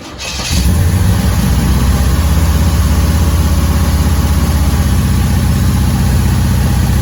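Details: 1981 Camaro Z28 barn find, first start in 15 years after fresh pushrods, fuel fed with carb cleaner/spritz into the carburetor, battery on a charger: catches within a second into a deep, even V8 burble with steady lumpy beat; normal running.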